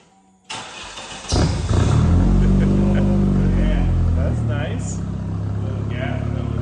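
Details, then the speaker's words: Dodge/Plymouth Spirit with newly modified exhaust (replacing one suspected holed muffler), revved a few times; deep, slightly raspy exhaust bark rising and falling cleanly, expected less raspy once long pipe section is cut off. "give her a couple revs [Music] I think it'll get less raspy when we cut this big long chunk off but I'm happy with that"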